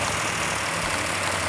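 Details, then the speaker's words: New V8 on a stand, initial startup with RPM held up for cam break-in: even, busy light clatter up top, slightly noisy valve train judged normal for a new engine; later runs with no leaks, rattles or knocks. "Got a little bit noisy valve train, which is normal on a new engine."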